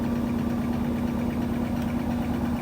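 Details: Whirlpool SCW1112WH washing machine on Quick Wash 30 spin: steady even hum with constant low tone, no thumping, wobble or vibration; balanced load spinning normally.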